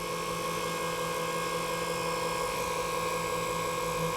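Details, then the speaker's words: 1994 Saab 9000 ABS pump motor, temporarily reassembled with a new bearing and bushing for testing. A smooth, steady electric whir at constant pitch with no grinding or rattle, much quieter than before: normal motor run. "let's see if there's a difference and uh speed and uh what it sounds like it should be pretty quiet now oh yeah"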